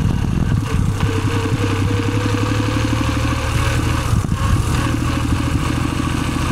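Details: Suzuki Celerio idling with a fast, dry rubbing clatter layered over the hum; friction noise in the gearbox.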